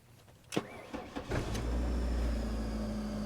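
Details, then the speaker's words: 1998 Mercury Tracer with a crank-no-start, after the battery and ground connections were tightened: a short fuel-pump prime hum and clicks, then the engine fires straight away and settles into a steady, even idle. Normal start. "perfect it's running look at [Music] that"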